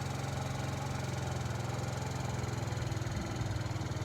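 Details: 2012 or 2013 TaoTao 50cc scooter, 410 miles: putters at idle with an even steady low beat, no knocks or misses; healthy, though carburetor may still need adjustment.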